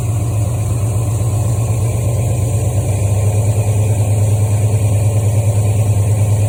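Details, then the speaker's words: 1973 Mustang Mach 1 with a Holley 750 CFM four-barrel carburetor, started cold with the choke on: a steady, even rumble at 1200 rpm on the number 2 fast-idle cam step, expected to rise as it warms; normal fast idle. "Okay, now that's in the number 2 cam position, 1200 RPM. If we let it warm up a bit more, that'll go up a little faster."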